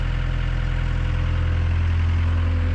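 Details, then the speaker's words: Gehl CTL60 tracked skid steer diesel after a bent connecting rod was repaired and new rings fitted, just started: deep, even, balanced idle with all cylinders firing and no shaking. No smoke at idle; some smoke when revved. Normal idle. "sounds good it doesn't shake like it did before you can tell it's much more balanced nowz that last cylinder is finally firing"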